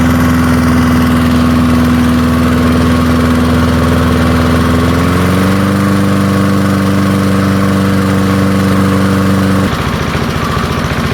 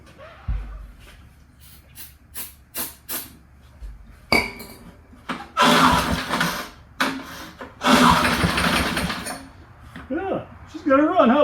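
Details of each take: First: Early-1970s BF Goodrich push mower's small single-cylinder engine, a barn find that sat for years seized, revived after freeing up and fitting the carburetor diaphragm; runs steady and even, settling to a slightly higher speed midway before shutting off, healthy. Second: Early-1970s BF Goodrich push mower, barn find, engine was seized and freed, carb gaskets rotted: taps and clunks, then catches in short rough one-to-two-second bursts and dies; runs only on starting fluid.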